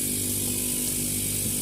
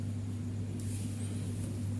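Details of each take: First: Fridge compressor GFF57AA (1/6 HP plus, data says 1/5 HP) running on its overload: an even hum with a constant hiss and no knocks, drawing 0.71 A on the clamp meter in normal running. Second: Fridge compressor GFF57AA (1/6 HP plus or 1/5 HP) with a 1/5 HP overload, replugged for a trip test: a heavy steady hum continues past 1 minute without cutting out, though it should trip within about 20–44 s; risks burning out the compressor.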